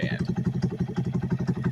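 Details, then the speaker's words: 2020 Honda Grom with cam and upgraded injector, wideband AFR gauge feeding stock ECU in place of narrowband O2 signal: switching to wideband changes the idle to a steady, even single-cylinder thump, the way it should idle. "and you hear the whole idle change that's how it should have idled on that New York City ride"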